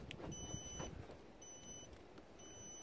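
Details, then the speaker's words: VW T5 Transporter campervan with Cobra 4400/4615p CAN bus alarm working off the original key fob: three clear high-pitched beeps about once a second as the van is locked, warning that a door was left open. "should be to hear that beeping followed by followed by the like that's just the alarm work and it's telling me that I've left one of the doors open"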